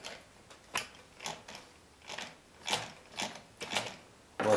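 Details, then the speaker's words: Chaika-2 sewing machine after replacing a cracked nylon half-gear with a metal one, turned slowly before run-in and gear adjustment: sharp evenly spaced rasping clicks about twice a second; new gear binding in mesh. "Притрется пара. Звук, конечно, не очень. Но это хорошо, что такой звук."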